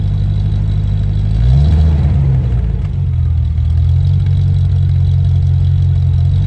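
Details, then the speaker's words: Land Rover Discovery 1 3.9 V8, first start in about 18 months: a deep, booming idle with a loud open drone and a brief blip, far louder than stock. The centre silencer pipe is missing. "oh well just so you know as well the reason it sounds like it does is because I've got the"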